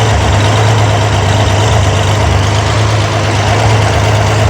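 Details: Corvair engine on a run stand at idle after valve adjustment, hydraulic lifters set 3/4 turn past zero lash: steady, even, smooth hum with no ticking or valvetrain clatter; healthy normal idle.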